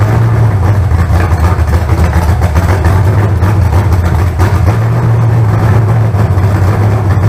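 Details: Fresh carbureted 388 small-block Chevy (heads and intake from the owner's 406, crew-cab Chevelle) idling out of the car during first run, vacuum port plugged: loud, steady, firm low rumble, no ticking or knocking; about 80 psi oil pressure, no leaks. Normal idle.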